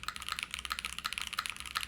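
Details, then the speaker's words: Spectacle60 keyboard, PC plate, Kaisya pre-lubed switches, GMK Future Funk keycaps, thin PCB: a quick run of bright clacky keystrokes, noisy rather than muted, with a faint metallic ring after each press, suspected from the thin PCB; metallic ping while typing. "I wouldn't say it's Hollow I would say it has a little bit of metallic sound circuit from it I almost want to say it's because the thinner PCB which again won't be this thin and thin thin PCB we have today"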